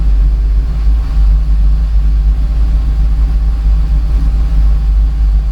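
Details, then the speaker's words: Torana after raising the idle, fan on: deep, even rumble holding steady at about 750 rpm with no dips or stumbles. Normal idle. "that's better yeah that's better so it's not going below 750 uh that did but yeah that's okay I think we'll leave it at"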